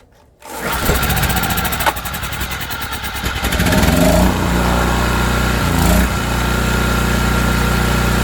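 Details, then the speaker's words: ETQ TG3000 3000-watt portable generator, bought non-running and repaired, restarted with choke on after shutdown: catches within half a second and settles into a steady, even run with no misses or knocks; normal start and running. "Yeah, no problem. Fired right up. Good sign. She's running."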